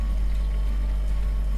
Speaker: humming or buzzing. So here we are round the back of the fridge, and that noise that you can hear is coming from here, the compressor.